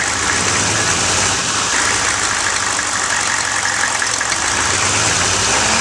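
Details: 1995 GMC Suburban 6.5L turbo diesel with new HX35 Holset clone turbo, up to temperature, revved a little: steady running, strong airy whistle over light clatter, no surging or grinding; normal turbo whistle.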